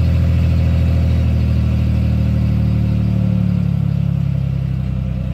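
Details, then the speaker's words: 1989 Chevrolet Celebrity 2.8 V6 with a built cam: lumpy, stumbling idle with the engine shaking that clears when revved or put in gear, hot or cold; vacuum leaks checked, cause unknown, owner wonders about compression. "mells kind of normal so it's got a built cam in it motor's shaking you rev it up and it goes away right back in idle cutting up again i don't get it"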